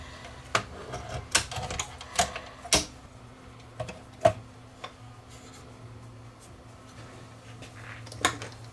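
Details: Sony DTC-700 DAT recorder after repair, switch and gears reinstalled and realigned: scattered crisp clicks and short motor whirs as the transport loads, no grinding or straining; loading mechanism sounds healthy.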